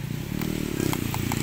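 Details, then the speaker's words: Daihatsu Xenia (All New) used-car check: light sharp taps on the exterior body panel ring clean and tinny, sounding like original steel with no filler, panel straight and unrepaired. "nah ini kan bunyinya beda teman-teman, masih kaleng."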